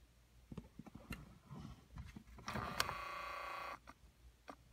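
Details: 2009 Ford Escape, microphone inside dash by HVAC box at the temperature blend door actuator: short, even motor whir for about a second, stopping cleanly without hunting back and forth; actuator travels normally on this side.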